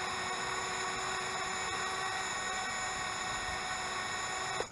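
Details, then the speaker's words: Eachine Wizard X220 quadcopter sitting on the ground with a little throttle above idle: an even, high-pitched motor whine as the right motor spins faster and louder, then cuts off. This is normal on the ground and fine once airborne. "so we're above an idle and you can probably hear the one on the right is spinning a lot faster and it's getting louder and louder"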